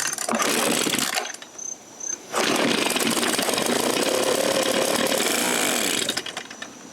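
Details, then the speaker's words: Echo PB-265L backpack leaf blower after carb rebuild and fuel line repair, on first test with a little throttle: two-stroke catches, drops near silent, revs raggedly, then fades; stalls and won't keep running, runs on choke only. "This is why I don't usually play with these things. Yeah, she don't want to run."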